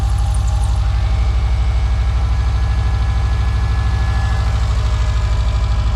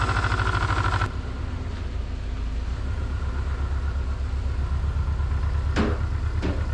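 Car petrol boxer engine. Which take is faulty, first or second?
second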